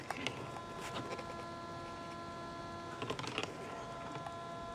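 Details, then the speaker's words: ASUS MB19TU monitor with brightness set below maximum gives a steady high-pitched hum with several fixed tones from its two built-in speakers; raising brightness to 100 in the menu removes it. "you can hear the huming noise coming from the two speakers inside the monitor the monitor it's an Asus mb19 tu"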